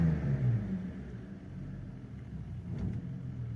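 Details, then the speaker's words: BMW E46 325i Touring, 2.5 six-cylinder, exhaust cam sensor fault stored, RPM dipping just off idle: the low engine rumble sags with no throttle, then climbs back and stabilises. Off-throttle RPM dip, no improvement. "Okay, dips. Dips. Stabilizes. Okay, I'm going to touch the accelerator again. No improvement."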